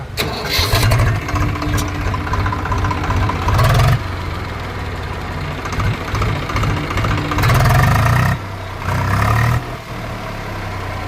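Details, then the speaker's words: Swaraj 735 FE tractor diesel after repair for overheating, stalling and tak-tak knocking: steady low chug at idle with a few quick revs, knock now gone: normal idle. "ఉందా sound పోయిందా లేదు ఆ sound వెళ్ళిపోయింది"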